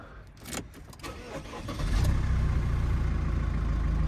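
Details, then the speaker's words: Used manual-gearbox van, first start after purchase: it settles into a steady diesel clatter at idle, with a brief slight squeal from the ribbed drive belt; no timing-chain rattle, so the engine is judged healthy. "Jak tam panie pierwsze odpalenie? Całkiem miło. Pasek wielorowkowy delikatnie coś tam zapiszczał, ale normalna rzecz."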